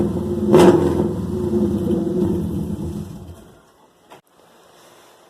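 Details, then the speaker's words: Subaru Forester daily driver with a broken exhaust, started with no muffler (open header, only the catalytic converter), before the exhaust rebuild: harsh, raspy, very loud bark that swells with a quick rev and falls away. "so as you could tell that was really loud and really not want the cops call on me"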